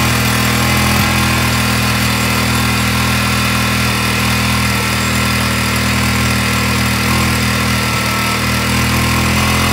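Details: Honda ATC 200X, first start after rebuild with the fuel tank flushed and reinstalled with a new OEM petcock, first kick: single-cylinder settles into a steady, even run with no misses or surging, holding a constant beat.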